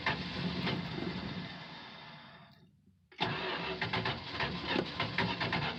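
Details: 1968 Plymouth Fury III, original 318 two-barrel V8, almost 76,000 miles, cold start: engine catches, fades and dies over three seconds, then refires and runs rough and uneven; hard cold start, owner blames two-barrel carb, unconfirmed.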